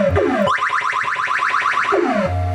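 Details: 1980 Williams Scorpion pinball with a new replacement sound board fitted: crisp sweeping electronic tones rise and fall cleanly, no crackle or hiss. Clean sound output.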